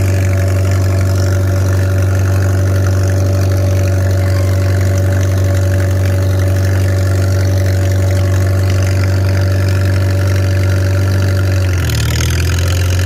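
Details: Farmall 300 Row Crop, 600-hour tractor, test drive after exhaust manifold replacement (original rusted through) and clutch adjustment, camera on chest rig; deep steady drone holding even beat over ten seconds, load change near end; running healthy, TA working.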